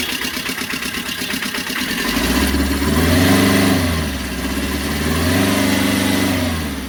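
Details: Tata Ace diesel after fixing a loose pump bolt and broken strut that caused a rattling noise, old belt refitted: catches after a brief crank, revs twice, settles to an even idle with no rattle or knock.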